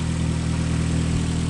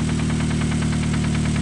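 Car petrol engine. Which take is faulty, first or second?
second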